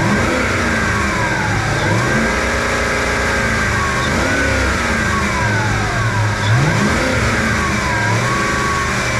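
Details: Ford F-150 5.4 Triton serpentine belt squeal: high squealing tones rise and fall with each rev over engine roar; slipping belt.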